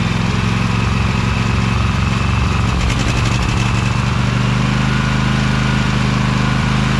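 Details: Briggs Vanguard 23 hp V-twin mower, after carburetor clean, started choked at low throttle with brake on: steady even thrum, no misses or knocks; runs nicely now, normal.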